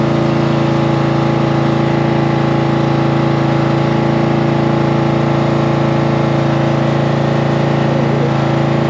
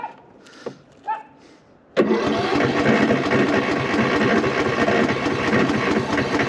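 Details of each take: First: Cub Cadet tractor small single engine after battery reconnected and starting fluid in carburetor: catches and settles into steady, even idle with low smooth hum, no misses or knocks; normal running. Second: Cub Cadet lawn tractor that was very hard to start; battery reads 12.17 V, terminals corroded, fuel on, brake set. The starter churns steadily and fast but the engine never catches. Owner suspects the battery and corroded terminals.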